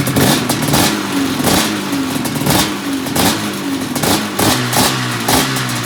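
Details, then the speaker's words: 1997 XC 700 twin two-stroke with early twin pipes, SLP jetting (pilot 45, 6.5 slide, 1370G needle, clip 4), running a swapped CDI; crisp repeated revs with clean pickup, no misfire or bogging, sounding good. "That sounded pretty good."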